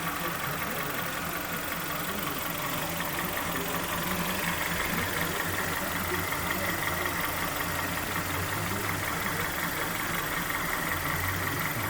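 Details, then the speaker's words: Kia Sportage 3 2.0 G4KD, first start after an overhaul that fixed its factory flaws, heard from underneath while warming up. Everything dry and quiet: a steady, even idle with no knock or tick. Oil pressure read about 1.7–1.8 afterwards. "Вот так он работает снизу. Прогресс. Все сухо. Все тихо. Прогревается пока."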